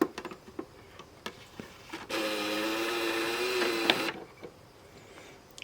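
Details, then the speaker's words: Sony PS3 Slim CECH-2001A console disc drive awful noisy: loud two-second whirring buzz with a steady low hum as the drive spins up; a noisy optical disc drive. "But the other issue I have with this is the drive is awful noisy."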